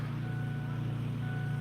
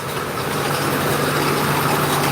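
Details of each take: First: 2001 Ford F250 7.3L diesel, key on, engine not running, glow plugs on with battery at 11.4 V: steady low whirring hum from up front, owner suspects the fuel pump. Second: 2001 Ford F250 7.3L diesel running after sitting a while: steady, even idle with light regular injector clatter, no misses or knocks; normal diesel idle, though a bad pulley is mentioned.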